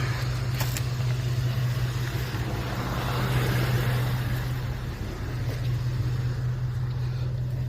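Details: Abandoned 1988 Ford F350 dually after new fuel pumps, with the old starter and a suspected bad connection: steady droning starter hum with no engine cranking; starter spinning freely, its drive not engaging the flywheel.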